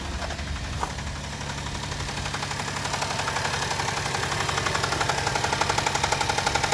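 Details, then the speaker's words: Chevrolet Traverse reportedly jumped in the mountains, possible oil pan hole, refilled with old oil; light, steady ticking knock about four per second over quiet idle, growing slightly louder; lessens somewhat when warm; engine knock. "so yeah it's got a knot kind of lessens up when it warms up a little bit"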